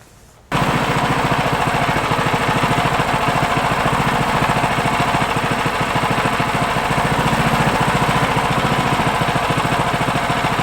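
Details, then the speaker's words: Brand new 2022 Simplicity 10/24 Select Series snow thrower (Briggs & Stratton), first start after two recoil pulls: settles into an even, very quiet idle, soft beat about three and a half pulses a second; normal idle. "This thing is super quiet at idle. At full throttle, it is still slightly quieter than some of the other models I have tested."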